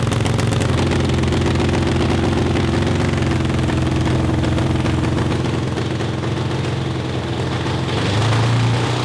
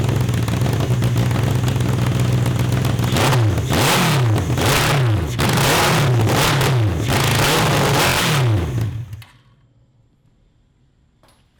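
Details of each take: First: Honda CB750 750cc four-cylinder cross kart after swap to dual 34mm Mikuni carburetors on PVC intake manifolds: even steady burble at idle with no stumbling or misses; steady idle, while high-RPM breakup under load was the ongoing problem. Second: 750cc CB750 engine in a cross kart, just swapped to dual 34mm Mikuni carburetors: it revs up and down in blips, sounding flat and hesitant, then shuts off. The jetting is judged too small and too lean; lean running.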